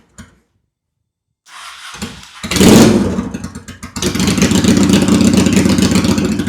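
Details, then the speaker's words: 2001 Honda Shadow VT750 after carb cleaning and an oil change fails a couple of cranks, then runs lumpy and uneven before settling. It keeps not wanting to restart, the rear cylinder is smoking, and the owner suspects that carb is dumping fuel into the cylinder. "See, this is weird to me. It keeps not wanting to restart and then that top that rear cylinder is smoking."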